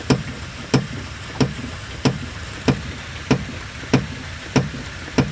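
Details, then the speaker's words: Chevrolet Impala on a test drive: sharp, evenly spaced clunks about every two-thirds of a second from the rear, caused by a worn left rear strut that was then replaced. "I'm out test driving this Impala. There's a loud clunking noise coming from the back."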